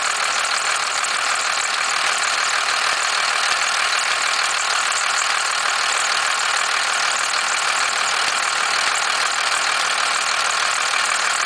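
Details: 1991.5 First Gen Cummins 12-valve diesel, cold start at about -10, idle: rattly clattering knock about three per second, louder than usual injector clatter, with slight squealing; source unclear to owner.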